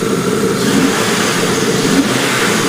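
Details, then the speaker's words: V6 with code P0420, still on the old catalytic converter, fuel pressure about 53–54 and rising with throttle: revs stay flat and muffled, bogging from the restricted cat rather than fuel delivery. "But you can hear that bogging. I know it's not due to a fuel delivery problem. This is still with the old cat on it."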